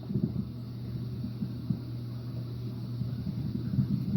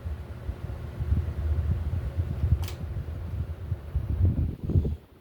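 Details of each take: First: Hampton Bay Palm Beach ceiling fan running on medium, heard close up: a steady low motor hum holds one pitch under the soft rumble of the blades. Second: Hampton Bay Palm Beach ceiling fan on wall control at high speed, mounted in a different spot: soft low hum and gentle rhythmic blade whoosh; the same noise as before remains but is more damped, no ticking or wobble; normal running.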